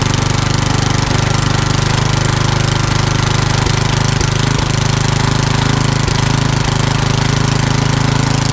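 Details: Old Tecumseh 10 hp HM100 single-cylinder after fitting a new genuine carburetor and correcting governor linkage and throttle speed: strong, even low thrum at one steady speed, no miss or hunting; running cleanly now.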